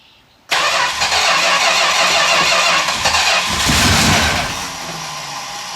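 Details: 1969 Plymouth Road Runner with 500 miles, sat since 1978. Bad neutral safety switch bypassed and fuel system just completed. The starter spins the V8 steadily for several seconds with no firing: cranks but won't start. Cause is not confirmed.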